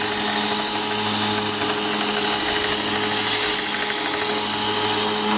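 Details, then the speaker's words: DIY 2x72 inch belt grinder, 2 HP motor on VFD: steady high motor whine with a fast rhythmic hammering each time the belt joint, over half a millimetre uneven, hits the workpiece; uneven belt splice. "okay that hammer ing noise you hear that's the that's this here I mean it's like a more than half a millimeter difference and every time this hits the part it does make a hammering noise"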